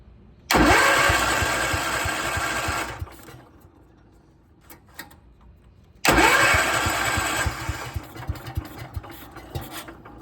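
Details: 1972 John Deere 110 garden tractor: two long cranking bursts, rapid whirring churn with uneven catches that never settle into a run; hard starting, owner believes a blown head gasket, not confirmed.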